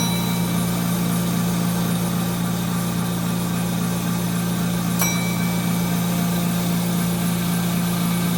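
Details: 1930 Gilbert and Barker model 106 clock-face gas pump, after a WD-40 restoration, pumping fuel: constant low motor hum, no whine, rattle or labouring; motor super smooth with good flow and pressure, normal running under load.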